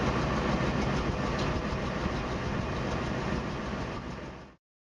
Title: NEW EXHAUST LEAK =P